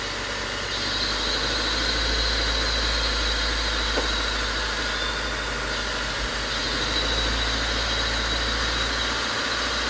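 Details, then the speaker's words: Honda Civic that knocked after a track day, recorded on a tripod inside the car: smooth, even idle with a steady low hum and no knocking or ticking; the bottom end sounds good, though the engine is still considered damaged. "let's start the car because I really want to start it to see how the bottom end sounds now so I'll put you guys on the tripod inside the car so you guys can hear up close and personal sounds pretty good to me"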